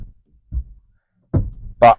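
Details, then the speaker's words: Renault Zoe with DCDC converter fault codes and an electrical failure warning, reversing slowly: a couple of dull, isolated thunks with near silence between them, a wicked suspension knock, cause not confirmed. "it's got a wicked um um Yeah, it's got a wicked suspension knock. You can probably hear that."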